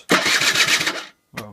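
A quick even crank of the starter catches into a brief clean firing run, then cuts out; the scooter starts normally.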